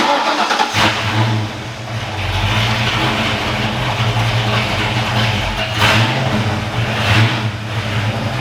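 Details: Foxbody Mustang V8 after engine work was wrapped up: catches quickly, settles into smooth even idle with a couple of light blips, no ticking or tapping from the top end; owner says that's how it's supposed to sound. Normal start and idle.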